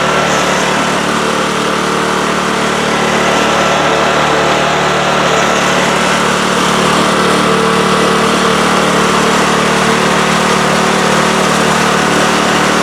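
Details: Craftsman snowblower after cleaning, lubricating the chains and readjusting the shift handle screws to fix missing 6th forward and slow reverse speeds, run through all speeds. Steady, even drone with no surging, knocking or grinding. Normal running, all speeds work.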